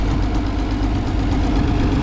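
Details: Minneapolis Moline A4T tractor on shakedown drive, light fast ticking over steady low idle; owner attributes it to an exhaust manifold leak on one side: engine ticking at idle.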